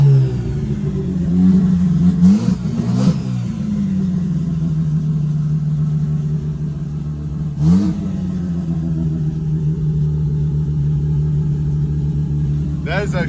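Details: Mazda RX8 Renesis 13B bridgeport rotary turbo on Microtech ECU, after removing low-rpm fuel and adding high-rpm fuel: clean blips rise and fall evenly, then settle to steady idle with no stumble; far smoother than before.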